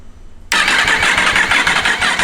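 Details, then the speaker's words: Yamaha R1 race bike, first start after the engine rebuild, with no coolant in it yet: silence, then the engine catches sharply into a fast, crackly, slightly uneven idle, running very smoky. "She's alive! She's smoky. Very smoky. I think that is just all the crap."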